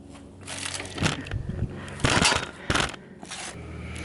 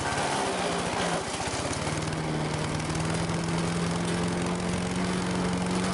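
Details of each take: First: Sears Craftsman 9HP chipper/shredder, over 30 years old and unused 5–6 years. Pulling the recoil gives slow, irregular heavy clunks because a stick is stuck in the chipper chute. The motor isn't locked up, but the recoil retracts only very slowly. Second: Late-1980s Sears Craftsman 9HP chipper/shredder, about 30 years old, running: a strong, steady drone that climbs slightly as it settles, with no surging; still running strong.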